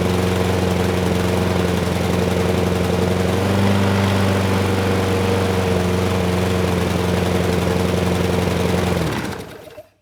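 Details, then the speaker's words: Craftsman mower, Briggs Quantum 128T02, restarted after cooling: a steady, slightly heavy beat for about nine seconds, then winding down; the auto choke air vane can't fully turn the choke off, so it runs rich. "yeah something isn't quite right the air vane should be turning that completely off and it's not able to do so"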